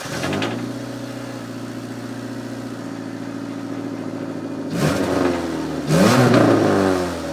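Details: Car at idle with its muffler partly removed, stuck on a rusty stripped bolt: a loud, raspy chuffing exhaust that swells harshly on each throttle blip, an exhaust leak at the loose muffler joint.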